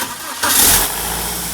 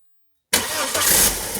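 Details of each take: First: 2001 BMW E46 316ti Compact, N42 engine, 200,000 km, cold start: harsh clatter for the first second or two, then settles into idle; startup rattle, owner tried replacing the exhaust VANOS and cleaning the oil filter housing check valve but it returned. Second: 2001 BMW E46 316ti with the N42 engine, 200,000 km, cold start after cleaning the oil check valve in the filter housing, with the housing empty: it catches at once and idles evenly with no startup rattle, though the rattle returned a week later.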